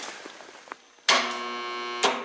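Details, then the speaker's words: Scrapyard 40-inch fan motor: harsh, steady buzzing hum with a clunk and surge each time power comes on, rotor shifting and locking up instead of spinning; capacitor suspected fried after long stall; motor hums but will not run properly. "yeah she's just locking right up see the rotor shifting over when you turn it on [Applause] and that clunk that you're hearing I believe is when you give it power it's sucking the"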